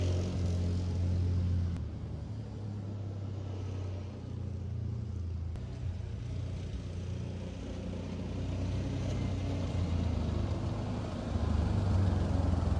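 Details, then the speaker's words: Kymco after fuel pump replacement with Walbro pump and submersible in-tank fuel line, fixing no-start and sluggish running: low, steady rumble with an even beat, no misses or surging; idles smoothly, seems fixed. "and it's still idle okay this time I think it's fixed"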